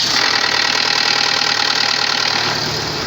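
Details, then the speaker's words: Renault Megane 1.6 petrol at start-up: fast metallic chatter about four per second for a few seconds then gone; worn camshaft phaser pulley, replaced with used one; cam phaser rattle. "en este momento estamos realizando una toma de renault 1.6 gasolina tiene un ruido al arrancar pone en marcha"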